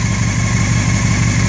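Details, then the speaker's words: 2001 Honda CBR600 F4i stunt bike with 2005 engine that sat six years unsheltered, warmed up: steady, even low burble with no knocks, misses or rattles; clean, healthy four-cylinder idle. "[ __ ] motor listen to it no sounds com out of it it's so nice"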